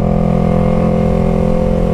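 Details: 2015 Yamaha YZF-R3 with Two Brothers S1R full exhaust, riding home after recall repair (new clutch, clutch bearing, oil pump): steady even engine drone at constant revs, no rattle; previous rattle gone, engine and clutch healthy.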